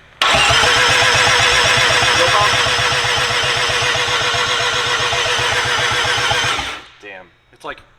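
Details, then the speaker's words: First rotary engine first-start attempt, oil added to raise compression, no fuel pump: steady cranking about four pulses a second, seems to have compression on the first cycle then fades with no catch; low cranking compression. "has compression for that first cycle when the oil is in it yeah you keep thinking it's going to start and then it's right there it goes away"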